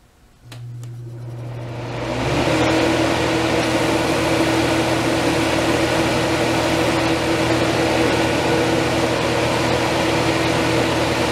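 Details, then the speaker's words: 1989 Crest (Fedders) 5000 BTU Carry Cool, first compressor start since ownership after cleaning and fan motor oiling: steady low hum settles in with a soft refrigerant hiss, quiet and even; healthy compressor. "very quiet I hear refrigerant for about five minutes now oh cool very nice"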